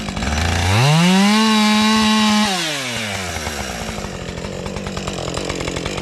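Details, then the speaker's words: Husqvarna 550XP two-stroke chainsaw after sitting six months in its case: revs cleanly to steady high scream, drops to smooth even idle; runs good; normal running. "And I like the, well, it runs good, and I like the fatter trigger it's got"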